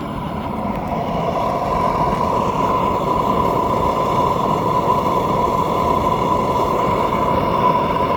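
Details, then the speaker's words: Rebuilt kiln gas burners, three lit, regulator turned up to about 2 psi, judged enough to fire a small kiln: steady, even rushing roar with faint constant tone, no sputtering or surging; normal burner roar. "This right here, 2, would, that sound right there would definitely be enough to fire out one of those kilns right there. So you don't need very much pressure."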